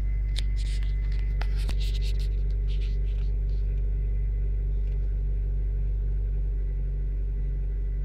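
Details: 1995 Acura Integra LS, B18B1 5-speed, AEM intake, idling about 750 rpm; noise every few seconds from passenger side under hood, whenever key on, cold or warm; ABS light comes on while driving; sharp clicks over low idle hum; source unidentified.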